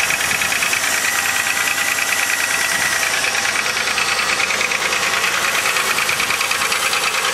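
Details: 2000 Chevrolet Malibu 3.1 V6 with 145,000 km, at cold idle: fast, fairly even light knock about twice per second over a thin engine hum; flush and thicker oil didn't help; owner suspects piston slap, unconfirmed.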